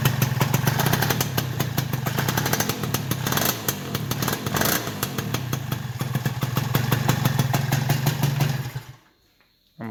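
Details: Old Honda Elite scooter single on first startup after a new stator and ignition parts replaced the dead stock ignition. Quick, uneven throttle blips and a steady low putter, then it shuts off: normal running.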